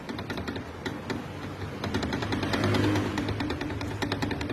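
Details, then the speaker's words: 2018 Ford Ka: a worn shock absorber rod, removed from the spring and worked by hand, gives quick uneven little clicks and knocks about three a second; loud suspension noise on the road. "isso daqui na mão ó ele cria uma folga aqui ó é que vocês não V não vai conseguir ver no vídeo ele cria uma folga aqui ó imagina no carro com o peso do carro andando na rua aumenta muito esse barulho"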